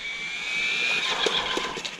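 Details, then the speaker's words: Hobao 8SC RC car on a parking lot with the speed controller's ABS option newly enabled: a high electric whine fades as it slows, then stuttering "fou fou fou" bursts pulse under braking as the ABS setting chatters the brake. "J'ai mis l'ABS. Si tu l'entends quand je freine, elle fait fou fou fou fou fou. C'est une option que j'avais jamais essayé."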